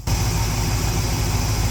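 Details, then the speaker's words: 1972 Ford F750 "Super Pickup" with carburetor adjusted (mixture about 1½ turns, accelerator pump on position two), warming up, large fan running, nickel balance test: deep even low rumble, no misses or stumbles; normal idle. "I'd say an engine's idling pretty smooth if you can pull that off not too bad"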